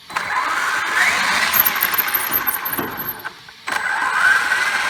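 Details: Brand-new Traxxas X-Maxx RC truck on its first run: thin, high squeal over the motor whine while running, stopping when it pauses; drivetrain squeal, owner suspects front and rear diffs.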